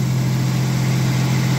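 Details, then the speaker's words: 1989 V6 Mitsubishi Pajero idling after Australian-made stainless extractors and new exhaust studs replaced cracked, warped stock manifold: steady even idle, smooth low drone, no ticking or puffing; leak fixed, sounds fantastic. "stainless steel extractors Australian made [Music] Beauty sounds fantastic"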